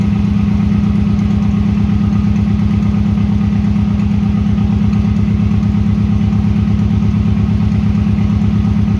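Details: 1996 Subaru WRX that sat outside 7 years (rusted fuel tank, no sump oil, rusty coolant), first start with fresh oil, new oil and fuel filters, original plugs: steady low idle with slightly uneven pulse and dip; running on four cylinders, injectors may need cleaning.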